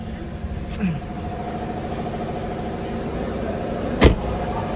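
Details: Mercedes-Benz in for engine shaking and misfire, with a suspected faulty ECU: steady, even engine hum with no stumble or shake, one brief thump partway through; idles smoothly, sounding healthy.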